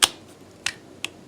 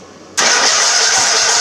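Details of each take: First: LT1000 riding mower, key turned on with a hot wire to the carburetor and the engine stopped: three sharp, light clicks in about a second as the fuel shutoff solenoid at the carburetor bottom pulls in, working normally. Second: LT1000 mower with new coil and spark plug installed, kill wire connected: cranks and catches at once, runs steadily with a raspy high exhaust note, but only on gas poured into the carb; fuel solenoid not yet powered.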